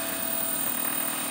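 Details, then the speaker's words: DIY 3D printer/mill stepper motors on half-stepping micro-stepping, with the voltage being tweaked back to 12 V: a steady buzzing whine with a faint fast pulse. Rough stepper noise that depends on where the motors stop; the cause is not confirmed. "seems like depending on where they stop with a micro stepping they sound horrible so hopefully I'll single step those"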